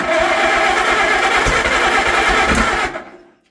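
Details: Old Allis Chalmers crank-start tractor, barn find stored at least 20 years, motor cleaned out, actual first start: rough uneven catching with sharp irregular pops, then it dies away, a backfire on first start.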